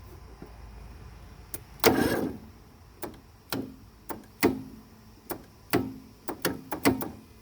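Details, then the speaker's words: Briggs 17.5 mower engine, hard to start and barely turning over: slow, uneven lurching crank about once a second, never catching; starter already swapped for a known good one, owner suspects valves need adjustment. "it's probably not a bad starter I already switched the starter on this with a good starter I know worked that's not the issue the issue is right here these valves"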